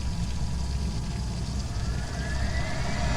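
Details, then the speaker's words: Webasto Thermo Top Evo coolant heater newly installed in a 2019 Ford Transit 350 van, priming on a roughly 64°F morning after the coolant lines were bled: steady low rumble with a faint rising blower whine; starts and runs normally. "Alrighty. Webasto kicked on. And we're gonna prime it. You may be able to hear it kick on or"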